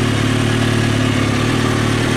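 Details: 2003 Kawasaki ZX6R at warm idle, fan on, after resetting the timing chain tensioner: steady, even unbroken drone with no cam chain slap or rattle, no smoke; only a small coolant reservoir leak; healthy.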